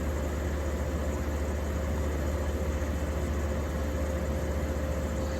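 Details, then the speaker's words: 1953 Fedders Weather Bureau window air conditioner with a Tecumseh S-series R12 1/3 hp compressor, after electrical upgrade and service. Steady, even low hum with a constant mid tone and no knocks or rattles. Normal running. "I said, I do believe the S is my favorite compressor. It sounds so good."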